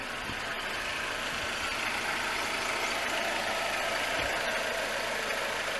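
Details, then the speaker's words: 2005 Suzuki Reno (Lacetti), D-Tech 16-valve engine with new idle air control, alternator, fuel pump and water pump, AC turned off: faint steady idle hum under hiss, no knocks or stumbles; smooth normal idle, quiet car. "It's not a bad sounding car, so from that point, it's actually not a very noisy car inside either."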